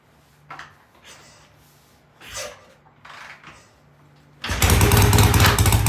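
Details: BSA A65 twin motorcycle, cold start after cleaning the pilot jets in new Premier carburetors, carbs tickled: a few quiet clicks, then it catches cleanly and settles into an even, lively idle on both cylinders; easy, healthy start.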